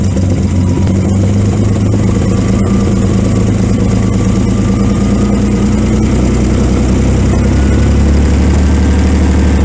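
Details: 1928 Franklin, 71 years off the road, on its first start: it runs lumpy and uneven with a low thudding beat of about three a second that stumbles. Owner suspects retarded ignition timing, and it seemed better when advanced.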